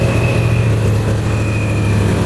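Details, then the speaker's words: Long-abandoned 1997 Ford Mustang GT V8 first start after the fuel pump primed, light throttle: deep steady rumble with slight unevenness, stumbling but running; rough running engine. "Ya! Kasih sedikit gas. Gas. Nah, begitu. Kedengarannya seperti ngadat, tapi mesinnya nyala."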